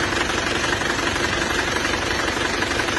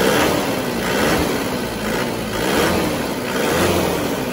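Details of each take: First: Diesel Panther engine from Mesuji Lampung, as received after a previous rebuild that never ran well: rough running with steady tapping tick about two per second over heavy crankcase blow-by, thick exhaust smoke; diesel ticking knock. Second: Diesel Panther from Mesuji Lampung, on its second engine rebuild after the first left a rough idle with blow-by, smoke and tapping. After servicing the injector nozzles it idles evenly with a soft, steady clatter and no blow-by, much smoother than before.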